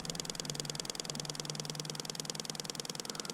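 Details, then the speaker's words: 2020 KTM 300 XC-W TPI oil pump test, throttle fully open with the wake-up connector plugged in: quick even ticking about three pulses a second, the oil pump priming and pumping normally. "she's popping i don't know if you can hear that but she's definitely priming and pumping so that's good"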